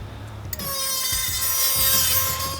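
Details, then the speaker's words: Car with one wheel only making noise, worsening over three weeks: thin, steady high-pitched squeal over a scraping rub as the wheel turns; owner hopes it is brake pads; worn suspension bushings noted, cause unconfirmed. "So you can definitely hear it. I'm really hoping it's just the brake, because I'm sure, as I've seen, most of the suspension on this is really tired and it needs to be taken care of, and I'll have that done in due time, but I at least need my brakes, so."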